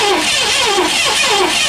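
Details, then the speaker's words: 1984 Lincoln Continental after sitting all winter, on jumper cables with a new battery: steady cranking at about four beats a second with no firing. Found a loose negative battery terminal that had been left off for the winter. "Alright, well. I mean, that sounded like she was trying to. Yep. No, the negative terminal isn't."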